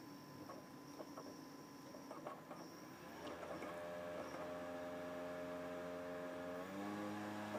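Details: Xbox 360 Slim DVD drive with an old game disc inserted: quiet whirring, light clicks and rapid bumping, then a rising spin tone as the laser moves back and forth very fast with slight grinding.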